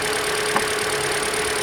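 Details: 2013 Hyundai Elantra, just over 60,000 miles, after alternator and serpentine belt replacement for non-charging battery; steady, even idle with faint constant tone, no knocks or squeals; normal idle.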